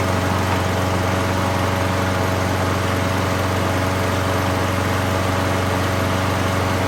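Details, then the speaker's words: 6.5 hp 21-inch Craftsman mulching mower rescued from a scrap pile, started right up: fast even buzzing beat from the single-cylinder engine at steady speed, no hunting or vibration; running healthy. "okay well that's kind of a shocker guys normally you don't get mowers out of scrap piles that start right up"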